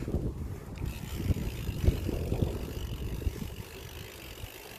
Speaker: just wanted to give you a chance to hear what the shadow hub sounds like